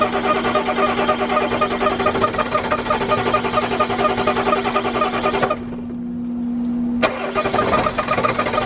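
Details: 1997 Ford F250 7.3 diesel project truck with fresh batteries, last start attempt: steady, labored cranking churn cuts out briefly, then resumes at the same pace as it struggles to start.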